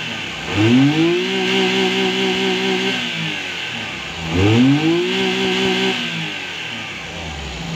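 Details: DA64V after repair of a low-power complaint, where the engine shook badly with the aircon on (issue named as ICV): two clean revs rising and falling back to a steady idle with the AC on, no shake or misfire; engine now runs healthy.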